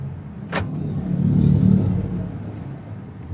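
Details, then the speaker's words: Toyota Innova on a road test after its dirty rear drum brakes were cleaned and adjusted, handbrake included; the owner had reported a whistle when braking. Only low tyre and road rumble while slowing, with no whistle or squeal. Quiet brakes. "Oh yung preno mo pag yung sinasabi mo sumisipol pakinggan mo."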